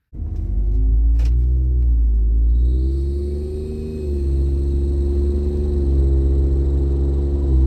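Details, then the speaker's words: Ford 3.5 EcoBoost twin-turbo V6 truck under very light to moderate throttle while accelerating: low engine drone swells with throttle as a thin high-pitched tweeting rises above it, from a warped exhaust manifold leak. "So here's what it sounds like whenever I give it, very light to moderate throttle. When accelerating, this is what the tweeting sounds like."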